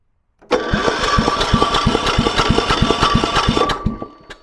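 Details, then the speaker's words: Kipor 6700TA diesel generator, Yanmar L100/186F engine: cranks evenly about three beats a second with no firing; despite compression work, barely turnable by hand yet still not enough compression; cranks without starting, low compression, declared dead. "It's just the same. So, just no compression. So, it was worth a try, but nope. It is dead."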